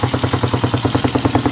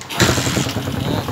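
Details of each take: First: TMX155 single after a top overhaul with a 54 oversize bore: steady idle with a sharp, even tick about three times a second over the exhaust beat, from a loose valve still to be adjusted; valve tick from loose valve clearance. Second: TMX155 single after a top overhaul with a 54 oversize bore, previously smoky and hard-starting: catches within a fraction of a second and settles into even, regular firing pulses; normal start, hard starting fixed.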